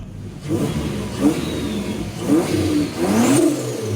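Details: Toyota Prado 5VZ turbo (Haltech), rebuilt overnight after two bent conrods caused a bottom-end noise: several crisp rev blips over an even-running engine, no knocking from the bottom end. Healthy.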